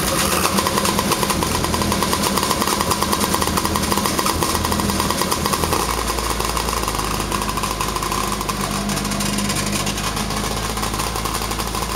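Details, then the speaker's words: Polaris Pro 785 two-stroke rebuilt to 1010cc (new pistons and rings, V-Force reeds, custom reed spacers, milled head, compression raised to 145 PSI from 100) at first start: sharp rapid crackling idle, steady and even; normal idle. "say it sounds pretty good"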